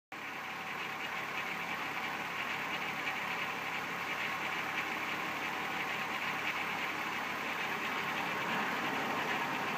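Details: 1994 VW Golf VR6 idling with a light, busy metallic rattle in the upper range: early timing chain noise, before it got really bad; owner decided to replace the chain.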